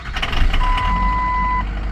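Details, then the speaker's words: 2003 Ford F350 6.0 Powerstroke plow truck after IPR replacement fixed a crank no-start with zero oil pressure, warm after running half an hour earlier: fires immediately and settles to a steady slightly rough diesel idle under a brief dash chime; normal. "And now even it didn't even jump up till after it started, but it started right up. But sounds a little angry, but all it is a work truck."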